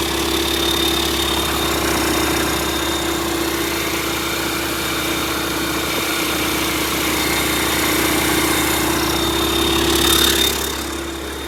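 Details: YaMZ-650 diesel on a test bench after a third-party major overhaul, in for repair: steady, even diesel clatter at constant speed with a smooth unbroken drone; runs cleanly.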